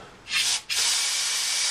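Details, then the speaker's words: Subaru Outback with code P0065 (secondary air injection performance): shop air blown through disconnected secondary air hoses with one side plugged gives a brief hiss then strong, steady unbroken air rush; lines are clear, no blockages. "so I don't have any blockages in any of my lines"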